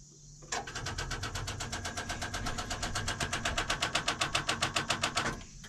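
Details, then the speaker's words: Excavator with two corroded batteries, one reading 11.57 V, about 24 V total: rapid even clicking about four per second for five seconds, no cranking; starts when jumped from truck, weak batteries needing replacement. "that's the sound it's on but it doesn't want to turn so I brought the truck over I'm not convinced the batteries aren't bad"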